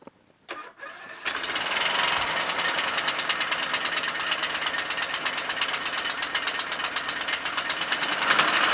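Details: Troy-Bilt Super Bronco 17.5 HP 42" lawn tractor after replacement Nikki carburetor, valve adjustment and new battery: catches after a couple of tries, busy slightly uneven hunting beat; surging from undersized carburetor jet.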